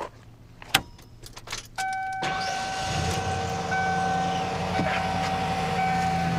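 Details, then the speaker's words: 1994 Ford F150 5.8L V8 with dual tanks, started after the fuel-pump inertia switch was replaced to fix low or no fuel pressure. Brief crank, then a steady, even idle with no misses or knocks. Normal idle. "So clearly the engine runs."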